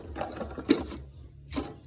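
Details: Lada VAZ 16-valve petrol engine after a rebuild following a timing belt failure, with the block decked and a two-layer metal head gasket fitted: fast, clattering top-end rattle at idle. Owner thinks a thicker paronite gasket was needed; unconfirmed.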